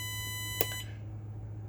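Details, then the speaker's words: Bus in the cab during an air brake pre-trip leak test, engine running, tanks about 112 and 120 psi: a steady electronic tone sounds briefly, stops, then restarts over a low cab hum; seat belt reminder because the driver is unbuckled. "And don't mind that that alarm. That is the seat belt, and I didn't lock it in. It has to be locked in for that sound to go away."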